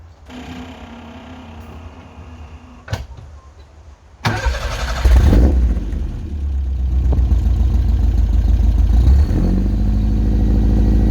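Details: Subaru wagon with its old fiberglass-packed, roughly 14-inch X-Force straight-through muffler: brief crank, catches, settles into a deep booming idle; the muffler lets too much noise out, before replacement with a Lukey Turbo muffler.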